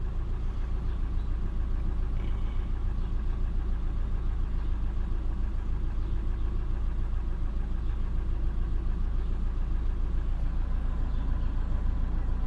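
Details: Ford F450 after fixing misfire codes on six cylinders with new spark plugs, wires and both valve cover gaskets (old plugs oil-saturated), codes cleared; low even idle rumble with steady beat, no stumbles or skipped firings, smooth and healthy.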